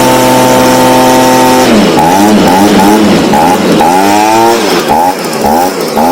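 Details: Stihl BG55 two-stroke leaf blower, formerly no-start, on new C1Q-S68G carburetor replacing a torn-diaphragm carb, during carb adjustment: revs up and down repeatedly, picking up cleanly each time with a crisp high note; running properly.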